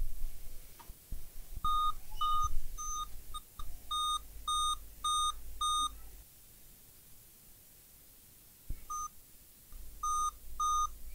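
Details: Dell Inspiron N5010 comeback repair with no picture and the fan spinning constantly; repeating groups of eight short high beeps with pauses and a quiet fan behind. Eight-beep code points to a graphics/GPU failure.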